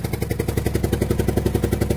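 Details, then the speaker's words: 1997 Dodge 2500 12-valve Cummins diesel, not started in a good while, running at idle: sharp puffing ticks about nine a second over the idle, an exhaust leak at the back side of the head, possibly a crevice or crack there. "It does have an exhaust leak, but where the exhaust leak is, it's right around the area on the back side of the head, and I can't really tell, but it feels like it's got either a deep crevice in there or something, or it may be busted right there."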